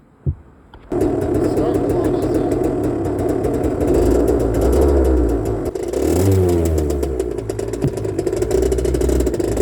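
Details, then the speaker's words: 1984 Honda CR80R two-stroke ridden with a phone mounted on the front, after earlier running only on choke: uneven revving, stumbling rough then clearing into crisp revs, repeatedly. Rough running with surging; the bike was running low on fuel. "But as you can hear, it would run rough, and clean up, run rough, clean up, run rough, clean up."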